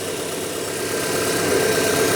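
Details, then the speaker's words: 1997 Rover 200 R3 K-Series petrol, just started after sitting a day or two, before warm-up and before the fan kicks in: steady even idle hum with no obvious knocks, ticks or squeals. "Let's have a listen. I can't hear anything really obvious."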